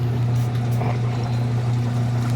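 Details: Sharp automatic washing machine after repair of a slow-drain fault that triggered an error. Drum spins up with a steady, even low hum and no knocking or grinding; the drain mechanism was the problem.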